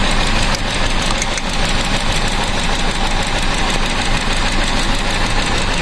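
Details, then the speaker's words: Car after new spark plugs fitted, plug wires swapped from 1-3-4-2 firing order: rough uneven idle with irregular stumbles about one a second, misfire from crossed plug wires. "Yung spark plug kanina no lang kaya hindi talaga pwedeng magkapalit yan eh no 1342 yan"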